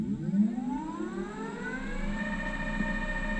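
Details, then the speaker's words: Teamgee H5 electric skateboard hub motor after replacement, previously noisy, tested before reassembly: clean motor whine climbs smoothly in pitch as the wheel spins up, then holds steady with no grinding or clicks. Normal hub motor whine. "remember how bad this wheel sounded before should sound amazing now"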